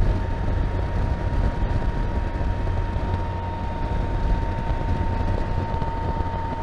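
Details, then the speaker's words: 2021 Can-Am Spyder F3T, 169 miles, riding after drive belt alignment: steady high hum over road and engine rumble, getting really loud at 48–51 mph; speed-dependent drive hum, new in the last few miles, source unknown, going to dealer. "you guys hear that noise 48, 49, 50 gets really loud 51 something is not right"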